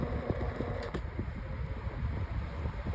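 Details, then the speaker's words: Lasko Windstorm 18-inch pedestal fan on speed 3: steady low whoosh with faint light ticking, no buzz; the noise heard on low and medium stops and the fan runs quietly as it should, though the blade is still out of balance and shaking. "Now, ski 3 is where the noise stops and the fan sounds the way it should. As you can tell, the fan is now a lot quieter."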